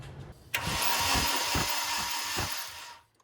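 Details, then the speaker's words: Nissan 240SX S13 KA24DE swap with confirmed spark and fuel: about two and a half seconds of even cranking with uneven compression pulses, never catches; owner suspects ignition timing off, not confirmed. "Alright, so I really don't know what else would keep this thing from starting. It's got spark, it's getting fuel. Possibly the timing could be off, I don't really know, but let's crank this thing and see what it does."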